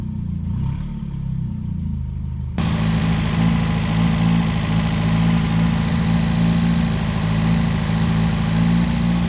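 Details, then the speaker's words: 1977 Daihatsu F10 with a 1990s 3K engine swap, a junk carb and a junk fuel pump: low, lumpy, wavering idle that stumbles instead of settling. It runs rough and keeps dying, not improving as it runs. "was hoping it' get better the longer it run, but it really isn't. It's still being real daughtery and dying."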